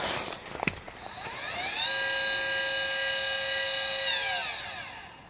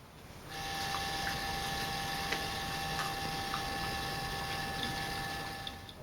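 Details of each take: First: CGX telescope mount, unloaded, after a full firmware upgrade of both the hand controller and the mount controller: a smooth high whine ramps up, holds steady, then winds down cleanly with no grinding. Normal slewing; the earlier noise is gone. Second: CGX telescope mount slewing before firmware updates of hand controller and mount controller: loud, steady, high whining tone with faint ticking; outdated firmware drives the stepper motors noisily, silent after full upgrade.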